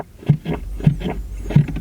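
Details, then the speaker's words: Hoovie's 1991 Lincoln Town Car HVAC box, dash removed: soft low thumps about every half second as the vacuum diaphragm strokes the recirculate door, moving freely and working normally. "let me show you right here's the recirculate door and it's just a vacuum diaphragm you can hear the vacuum diaphragm"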